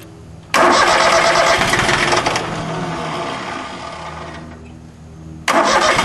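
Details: Small Yanmar diesel with air in the injector lines after a fuel filter change without bleeding: steady cranking about two seconds with no catch, then a second crank attempt; cranks but won't start.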